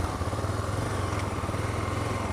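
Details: JF300 motorcycle after the loose chain adjuster cap, which had been rubbing the chain, was found and secured: even engine pulsing while riding with no tapping or rattle; the noise is gone.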